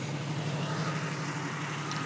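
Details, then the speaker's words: 1991 Jeep Cherokee Laredo six-cylinder at idle after a spark plug change fixed a single-cylinder misfire: a steady, even idle with no stumbles or dropped beats; running smoothly. "no misfires all smooth before we go it was Miss it will miss one every once in a while you know every other Revolution it would miss uh it would miss fire but now now it's running great yeah all good now"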